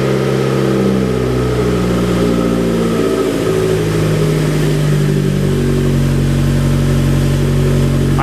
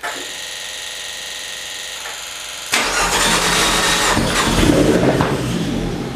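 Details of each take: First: Fiat 500 Abarth engine running in a Fiat X1/9 test body; a raised, slightly unsteady idle about 1500 rpm that drifts before settling, an earlier miss cleared, and the owner suspects a vacuum leak (unconfirmed). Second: Fiat 500 Abarth engine in a Fiat X1/9 test body, first start with fuel added to the fuel cell after the pump had been priming dry: a few seconds of cranking whirr, then it catches and settles into a rough, busy run with a steady beat.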